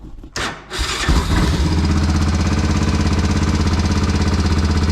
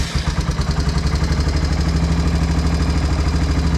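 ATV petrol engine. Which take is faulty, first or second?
first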